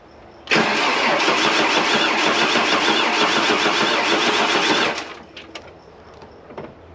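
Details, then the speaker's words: 30-year-old Ford Falcon pulled from a paddock, first start after refilling coolant: fires into a loud, uneven, galloping, chattery run for about four seconds then shuts off; owner suspects a stuck lifter and a dead cylinder. "Didn't like how that galloped. Very chattery. It could just be a stuck lifter. She's a cylinder down too by the sound of it."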